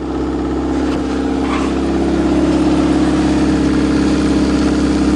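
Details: Bus diesel on its first super-cold start at minus 16 on the coldest day, with charged batteries. Steady, even idle with a low drone and no knocks or misses; it caught cleanly from cold and runs fine.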